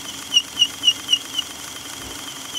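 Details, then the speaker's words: Electric wheelchair motor after cleaning the commutator and brushes, running on 12 volts with the gearbox engaged: a high thin squeak repeats about four times a second over a soft motor hum under load; it runs much better than before the cleaning. "it's a lot better than it was at least it sounds a whole lot better so that's uh well now I'm getting some squeaks but it's still it's a whole lot better than it was"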